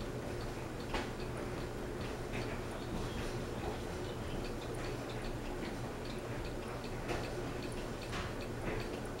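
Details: Fasco Vanity Fair ceiling fan with a steady light tick about once a second over the motor's low hum. The flywheel was left loose after someone tried to remove it for repair, and the fan also wobbles a little.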